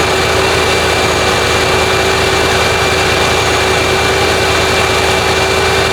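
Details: Lincoln Town Car (OBD1) after replacing the idle air control valve for high idle, no code: steady, even hum holding constant with no surging or hunting; idle now about 800 rpm versus roughly 2000 before, normal.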